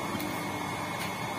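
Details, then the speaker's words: Shimizu PS 128 water pump after repairing a shorted coil, which had caused weak slow rotation and humming: steady even motor hum with light rushing tone, no drone; spins freely and sucks strongly, running normally. "Nah sekarang sudah bisa dipastikan bahwa pompa air ini sudah normal dan putarannya sudah enteng dan tidak terdengar dengung lagi"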